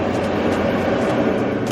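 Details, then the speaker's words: Mercedes GLA / Infiniti QX30 cabin A/C blower after blower motor replacement for a humming noise, running on full speed: smooth, even rushing airflow with no wobble, rattle, hum or vibration; blower sounds healthy. "Now it's all the way on. No crazy vibrations. That sounds like the engine is running. Easy fix, y'all."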